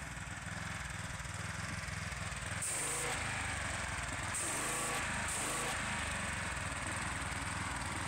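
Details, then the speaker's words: Gas-powered pressure washer small single-cylinder engine after the fix for rough running, cutting out and low power (new spark plug hadn't helped), spraying a tire under load. Steady, even beat with water jet hiss; normal running under load. "try it out on this tire seems to be working pretty well"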